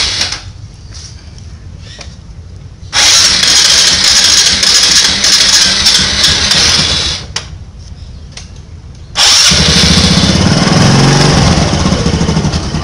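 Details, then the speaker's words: Honda Supra X125 just after combustion chamber decarbon cleaning, spark plug cable refitted: two long whirring cranking bursts with pauses before it catches and revs; slow start, attributed to the freshly cleaned chamber. "Oke, ini kita langsung kita coba starter, hidupkan ya. Memang start hournya memang agak lama ya, karena habis dibersihkan mangkoknya."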